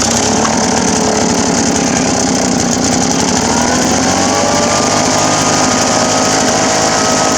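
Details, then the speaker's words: Poulan Pro PR46BT two-stroke backpack blower, which would not start, idle or rev, after fixing loose carburetor-mount screws that were letting in air: strong, steady high-pitched buzz that climbs cleanly with throttle, no bogging or surging, running properly. "oh yeah that's a fix there it wasn't running anything like that before"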